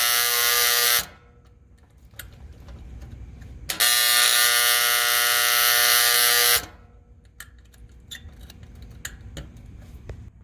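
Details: AC contactor gives a loud harsh buzz in bursts each time 24 V from the thermostat signal is reapplied to its coil, then cuts dead; the contactor is sticking and failing.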